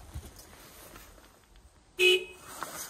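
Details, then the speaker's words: Forestry machine, a new key fob just programmed: quiet outdoors, then one short, sharp horn toot answering the fob's identify button; the door still does not lock. "I have successfully programmed a new fob I can tell you I have because when I press the uh identify button tips The Haunt same with the other fob"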